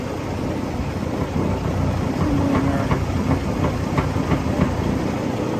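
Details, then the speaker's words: 2012 Western Star 4900FA truck with replacement diesel engine brought down to idle; heavy, smooth-running idle with a loose, uneven tapping rattle over it, something loose that may need rubber to quiet: rattle at idle. "I'm just going to bring it back down to idle for you so you can hear it idle. You can hear it run smooth. Got a bit of a rattle here."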